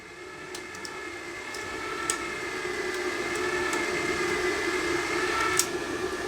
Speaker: I think we've got a little bit too much tension on there you can hear the motor just whining a little bit